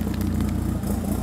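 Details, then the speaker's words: Diesel idling with its particulate filter just removed for cleaning: steady idle with a coarse, louder-than-usual exhaust pulse and smoke, showing how it runs without the DPF. "Der Rußpartikelfilter geht zum Reinigen. Oh, der Qualm. so sieht das aus, wenn kein Partikelfilter dran ist."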